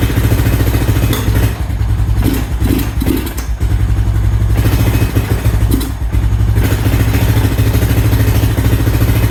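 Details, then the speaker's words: 2000 Honda Foreman 400 4x4 ATV after nest cleanout, old fuel and possibly nearly empty tank: single-cylinder idle that wavers and dips, owner unsure of choke position; uneven idle, cause uncertain. "I don't know if I had to choke the right way I'm assuming I do that sounds like the choke is off now the other way sounds like it's on"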